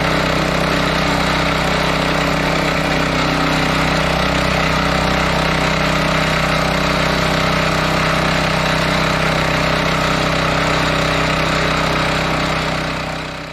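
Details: John Deere gas-engine air compressor after carburetor rebuild, fresh fuel and throttle up: steady fast single-cylinder beat about four per second holding even speed while making air; engine runs cleanly, though some odd compressor-side noises are suspected.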